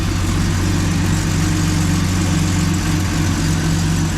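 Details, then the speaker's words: Turbocharged 3800 L67 Camaro with custom exhaust, after fixing exhaust leaks that caused loud ticking, freshly filled with oil and warming up after sitting: steady, even quiet idle, no ticking, faint valve train noise. "but that's a quiet valve train, or that's a quiet motor."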